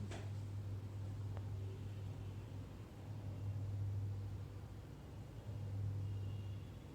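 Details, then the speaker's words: Samsung AR18AY5YATZ air conditioner indoor unit, noise level test up close: only a faint steady low hum and soft airflow, barely audible, no rattles, ticks or whine; normal quiet running. "So I believe you can barely hear a sound."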